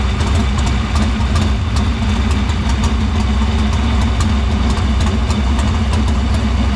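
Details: Dirt Silver Crown race car fired in the shop after getting fuel through the filter and lines to the pump and barrel valve; loud, deep, steady idle with even lumpy beat, no misses; fuel system checked out good.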